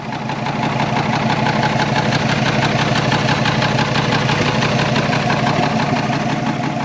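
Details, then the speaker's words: 1984 Toyota Land Cruiser FJ60 engine, oil seeping near cylinders five and six, smoking: rough idle with a steady knock about three times a second from the rear; owner suspects a blown piston or thrown rod after the previous owner coasted downhill and put it in gear. "so it starts right up sounds awesome you can hear uh what i think is a knock in the back and you can see the smoke is already pouring out"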